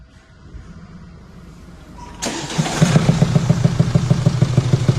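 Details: Mercedes E-Class W212 (2017) with OM654 diesel at 153,000, started and idling: steady knock about three times a second from the valvetrain, worn rocker arms, before rocker arm replacement.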